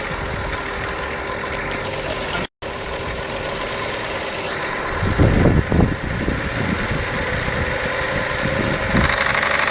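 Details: Jetta petrol engine idling, then revved to 1500-1600 and 3000 rpm, with a loose uneven rattle at about four clatters per second; worn OEM intake manifold runner shift rod bushings, fixed by replacing the bushings.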